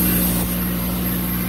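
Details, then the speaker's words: 2006 Toyota Tacoma 2.7L 2WD with air injection codes P0418, P2441, P2445; after pump replacement and clearing codes, the cold start gives a steady, even low hum of the air injection pump running normally over the engine. "can already hear it i already hear it on and running so that's a good sign"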